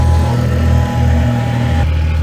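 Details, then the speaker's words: Freshly refreshed N55 engine in a 2011 BMW E90 335xi with upgraded turbo and 8HP45 transmission, first start warming up: steady smooth low drone, no ticking or knocking; temps rising, AFR solid; normal running, no knock. "it's good to actually hear that there's no uh knock knock jokes"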